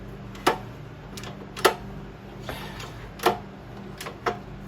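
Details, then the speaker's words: Honda GX270 engine being rebuilt: sharp, irregular clacks about once a second as the loose piston is rocked by hand, slapping in a worn bore with lots of play; the engine sounded clacky when running, plan is a hone and piston kit. "And here's that wear I was talking about. You can actually hear it slapping. And this engine sounded a little clacky when I was when I had it running. But there's just a lot of play there."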